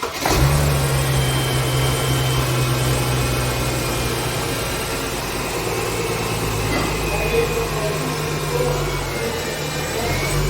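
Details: Mercedes-Benz E350 after alternator repair (new bearings, diode bridge checked) that had caused loud noises: smooth, settled idle with a steady low hum and no whine, rattle or bearing growl from the engine front; normal idle.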